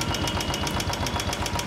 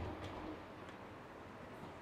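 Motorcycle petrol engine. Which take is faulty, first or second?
first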